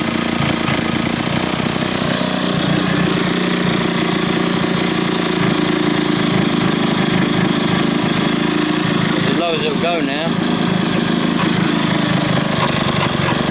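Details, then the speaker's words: 1980s Mountfield AV85S two-stroke lawn mower run for a look, no repair done: rough, uneven knocking through its buzzing idle. Engine knock, owner suspects a failed big-end bearing, not confirmed. "so I reckon we've got a big end bearing that's gone that's what I'm guessing"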